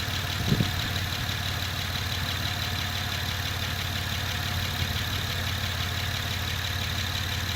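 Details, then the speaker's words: Honda Pilot SUV idling on a homemade 12V battery of revived dead A123 LiFePO4 26650 cells as the AC compressor kicks in. Steady smooth idle with a faint belt hum, no misses or knocks; healthy idle under AC load. "Let me check the voltage, guys. Because you see the compressor started for the AC."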